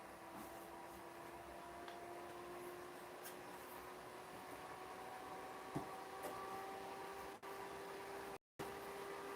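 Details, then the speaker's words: 2007-era desktop PC with DDR2 RAM after RAM and CPU upgrade, first power-on: steady whirr with faint even tones as the fan ramps up; no clear fault audible. "do we get any sort of post I don't know if you guys hear that that's ramping up"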